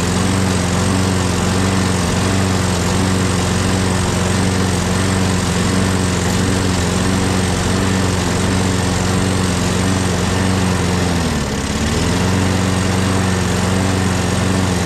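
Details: Craftsman 6.5HP Briggs Quantum FWD mower after magneto replacement and carb clean, primed and electric-started: steady, even hum at one pitch with a single brief sag near the end, otherwise smooth. Owner notes an unexplained clanking and priming needed each start.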